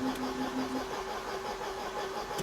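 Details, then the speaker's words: 1994 Mercedes W202 C220, long unused, cranked briefly with spark plugs removed to build oil pressure: short light even starter whirr without compression beats, fuel pump also audible. "l'idée c'est de gentiment mettre l'huile en pression c'est pour ça que je l'ai mise en panne je fais un démarrage rapide il a pas tourné depuis longtemps"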